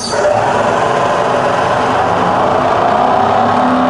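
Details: Rebuilt Bridgeport mill, variable speed head, 240V single phase, high range, spindle at about 2000 rpm in reverse: smooth steady high whine holding even, no knock or grind; spindle running normally.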